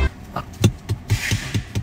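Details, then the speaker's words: Tesla interior rear-view mirror base, cover removed, tapped by hand: each tap draws a sharp, tinny buzz from a partly suspended metal plate on the circuit board; suspected loose mounting or assembly, unresolved. "个地方特别的响，就是汽车的抖动，这个整个电路板都特别响。同样的撞击，下面这里是闷沉的声音。这里就很响，其他地方都不会响的，就是这一块电路板在响啊。"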